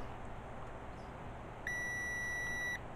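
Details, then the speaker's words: Continuity tester on a truck's removed power window switch gives a clean, steady high beep of about a second over quiet room hiss; the switch is fine, so the window motor or actuator is suspected. "So I'll do a continuity test on it. It's that one there. So check it's working. You can hear it beeping there."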